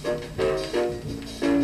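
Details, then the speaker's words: Vintage 1960s Newcomb 1625M tube turntable/PA amplifier run through a series light bulb, possibly playing slow: major distortion, harsh and fuzzy; owner suspects a worn-out stylus, or possibly the low voltage; distorted record playback. "Playing it. Major distortion. It could be because the stylus is just plain old worn out."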